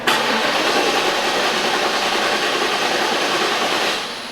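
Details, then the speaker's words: 1994 Trans Am after replacing ignition control module and coil pigtails, charged battery: steady fast cranking four seconds with no firing; still a crank no-start. "all right we're back to a no start"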